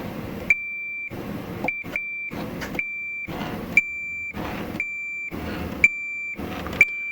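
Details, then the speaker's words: Multimeter continuity test while working on a Farfisa O.R. 200 amplifier: clean high-pitched beep on each probe contact, cutting off crisply between touches. Continuity beep working normally, although the meter intermittently lost continuity on good parts. "I like to hear that beep because I can't always see my meter"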